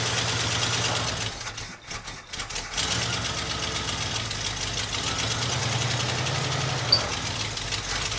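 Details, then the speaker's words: Early-1980s (about 1984) Ford F-150 donor truck, just revived and refuelled and still untuned, idling fast and well above normal with a rough, uneven edge. The idle was set high on purpose so it would keep running in gear. "i still got a little ways to go on the tuning side of this i was able to get it to stay running while in gear by obviously having it idling high as hell"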